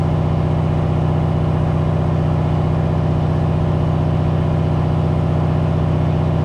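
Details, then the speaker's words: C4 Corvette with Holley Terminator X EFI on dyno: steady deep V8 beat with rough, uneven pulse about four times a second; Holley O2 reads 13.8 with large positive closed-loop corrections while dyno meter reads 10.2; rich running, faulty O2 sensor. "The Holley sensor, O2 sensor, is reading like 13.8, and the closed loop corrections are just like 1,000,000% positive, and the dyno air fuel meter is reading like 10.2, and you can hear it's running like shit."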